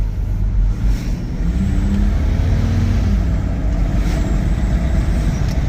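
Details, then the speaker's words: 1994 Toyota Land Cruiser FZJ80, 177,379 miles, 33-inch BFG KO2 tires and 2-inch OME lift, full-throttle kick-down after getting up to speed on the road; low engine drone builds strongly and steadily over road noise with no knock or hesitation; healthy acceleration. "okay I'm going to go straight and we'll do a kick down to see what this engine sounds like so let's first of all get up to speed okay"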